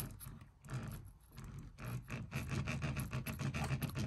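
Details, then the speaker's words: Artillery Sidewinder X1 3D printer, powered off, X carriage pushed by hand: rough scratchy grinding in uneven bursts; smooth when motor cable unplugged. Began after two-day print; owner suspects mainboard or motor. "you can hear that grinding noise now the printer is powered off and i can even unplug the power cable okay so there's no power going to it"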